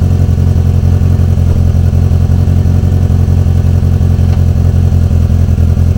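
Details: Renault 19 after engine repair, idling: steady, even low rumble with a regular pulse and no tapping or rattles; normal idle.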